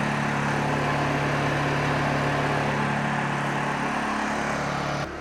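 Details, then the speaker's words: Honda EU2000i generator after carburetor cleaning (previously only ran with choke on), warmed up, eco mode off, powering an RV air conditioner: steady, even drone holding speed under heavy load with no hunting or surging; running properly. "So we'll go ahead and start up the generator, let it warm up, and go make sure we can power our air conditioner."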